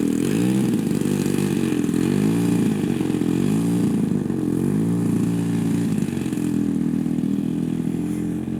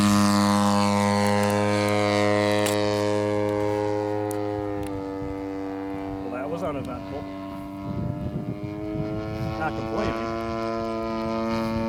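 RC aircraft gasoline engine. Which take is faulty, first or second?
first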